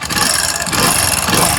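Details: Hero Splendor Plus motorcycle, engine rebuilt about six weeks earlier; fast light tapping rides over a busy single-cylinder idle, from a broken rocker arm bearing in the top end.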